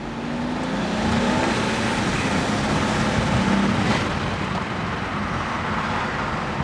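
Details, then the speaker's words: N54-swapped BMW 335i E91 wagon on new tune, after tightening loose hose clamps: hard steady pull with strong even roar over road noise, no hissing or flutter; normal turbo acceleration, very fast. "wow guys i'm not i'm not joking right now that's like fast that's like you gotta be careful about how hard you put down your foot on the pedal"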